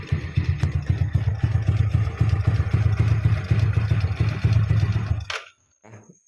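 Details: Jupiter Z after converting the manual clutch back to the standard automatic clutch, exhaust refitted: small single thumps at a quick, even idle for about five seconds, no rattle or scrape from the clutch side, then shuts off; normal idle.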